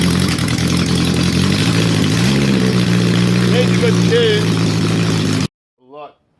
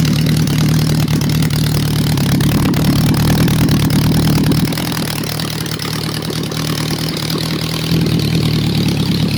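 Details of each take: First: Honda CB750 four-cylinder under restoration, running on all cylinders without exhaust or airbox, getting hot: revs lift and hang high, slow to drop back to idle; owner suspects a vacuum leak, untuned. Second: Honda four-cylinder bike, warm: steady, even idle with a smooth low burble and no misses or stumbles; normal idle.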